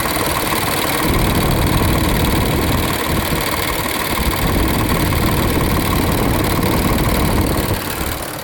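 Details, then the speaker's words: 2020 Infiniti QX60 at 95,882 miles, after its misfire (P0300/P0304) was resolved: a steady, even idle with no stumble. The underlying oil consumption problem is still unrepaired. "So at the moment, we're just going to resolve this misfire until a later date. And as of right now, it's working perfectly fine."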